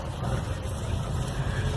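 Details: Ford EcoSport, around 2010–2011, about 170,000+ km, after replacing the front control arm (balança) front and rear bushings: steady low road rumble with no clunks or knocks; front suspension now rides quiet and normal.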